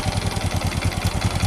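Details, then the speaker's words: Honda Supra X 125 with hard starting, smoke and a flooding carburetor dripping fuel: lumpy, uneven thumping at roughly ten pulses a second, a rough, harsh idle; piston and cylinder block suspected. "kami akan memperbaiki supaya tidak ngebul lagi dan yang mana dari segi suara ada timbul bunyi nada yang kasar kami akan menghaluskan suaranya seperti ee standarnya Guys"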